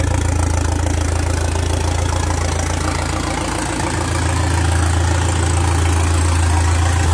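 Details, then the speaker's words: Alfa Romeo MiTo 1.4 T-Jet, freshly built with forged internals, Boubis cams, Abarth hybrid turbo, no downpipe or exhaust fitted, noise straight from the turbo: loud raw steady idle with even rapid beat; otherwise smooth, healthy. "Αλλά εντάξει, θα ακούσετε λίγο πολύ θόρυβο γιατί δεν έχει downpipe και θα σας πάρει λίγο τα αυτιά."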